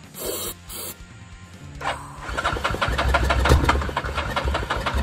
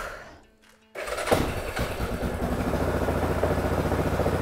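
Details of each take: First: Yamaha 660 ATV, sat six years, with new solenoid and battery but the old carburetor still fitted (known to need replacing): clicks, a short crank, then an uneven, faltering run as if starved of fuel; hard starting, barely runs. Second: Abandoned Yamaha 660 ATV that sat broken for 6 years, fitted with an aftermarket carburetor, air filter and oil filter: after a quiet moment the engine catches with a thump and settles into a steady putter. It starts and keeps running.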